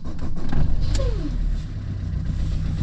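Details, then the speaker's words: Fiat Qubo diesel cold start after battery recharge: uneven low chugging beat with brief squeak, grey smoke when cold that stops once warm; owner suspects glow plug, viewers mention injectors; rough cold running, cause unconfirmed. "quand je le démarre à froid il fume il fume genre gris tu sais comme s'il y avait une bougie de préchauffage qui marchait pas ou quoi et ça dure un petit moment et après une fois qu'il est chaud il arrête"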